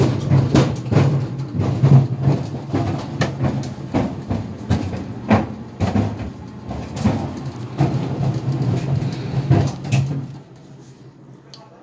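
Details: GE Profile Harmony dryer running with sneakers inside: heavy dull thumps about twice a second over a steady motor hum, loud enough to hear from the living room, from the shoes tumbling in the drum.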